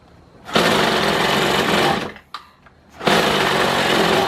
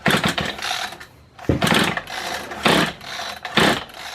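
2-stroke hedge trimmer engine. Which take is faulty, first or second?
second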